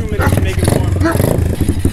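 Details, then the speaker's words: Small Amazon pit bike started cold. It thumps unevenly with ragged, stumbling firing pulses, as if about to die, and won't hold an idle until warmed up. Rough, unstable cold idle. "like you don't want to idle until it's warmed up"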